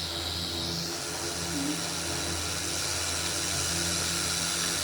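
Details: Old Philips RR286 radio recorder with a no-sound fault, played through a substitute Bluetooth speaker unit; continuous bright, even static hiss with faint shifting tones as the dial moves; amplifier and speaker working.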